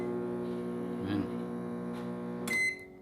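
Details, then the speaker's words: Philco PME25 microwave makes a loud, steady electrical buzz at switch-on, ending in a sharp beep; the keypad works. Owner likens it to an inductor being energized without a field; the cause is not confirmed. "ele fica fazendo um barulho é como se um barulho no começo indutor estivesse sendo ligado mas não tivesse campo né"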